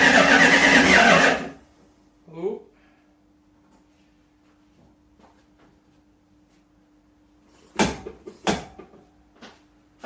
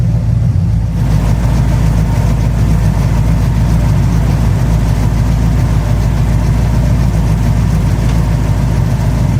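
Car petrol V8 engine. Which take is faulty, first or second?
first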